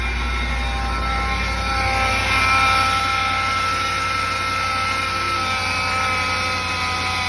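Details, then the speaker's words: 2020 Ram 5.7 eTorque petrol engine running, a steady high whine rising with revs on acceleration, turbo-like; worn idler pulley bearing. "Kind of whiny, and every time I accelerate. Almost sounds like I got a damn turbo on the thing."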